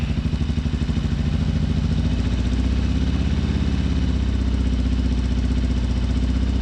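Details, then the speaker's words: 2007 Harley Sportster 1200 fuel-injected V-twin idling with stethoscope on injectors: lumpy loping idle, missing pulse, running on one cylinder; front injector not firing, confirmed by scope signal dropping out. "let's fire this up and definitely one cylinder only"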